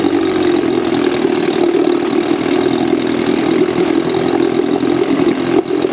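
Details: Small outboard with failed magneto coils running on car-battery-fed ignition, recoil start: steady, even buzzing run with no misses or stumbles; a bit tricky to start but runs smoothly.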